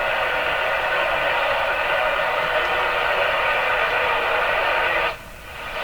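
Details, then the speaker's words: RCA Victor Model 911KG radio after AM alignment, tested on an antenna: steady loud hiss and crackle with no clear program, then cuts out; suspected problem with the antenna plug or wire. "So, what we found out is uh it'll pick up a signal from this antenna. Although there's some problems here with the plug or the wire or something like that."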